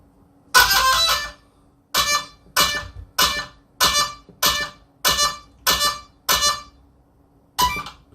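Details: Arrma Mojave EXB 8S RC truck powered on with the transmitter in bind mode, giving nine short fading chirps about a second apart, the speed controller's normal power-on tune.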